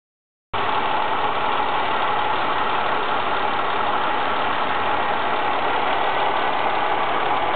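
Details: Ford Mondeo ST220 idling after TSB 24/2009 camshaft bearing cap repair: smooth even hum, earlier rattle gone; normal idle.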